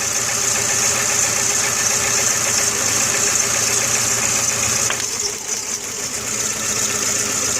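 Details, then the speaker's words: 2000/2001 VW Jetta 2.0L petrol, neglected, about 10 stored codes, idling cold with the engine shaking: uneven, stumbling misfire. The coil pack is malfunctioning. "So that coil pack is malfunctioning right there. It is not sending it."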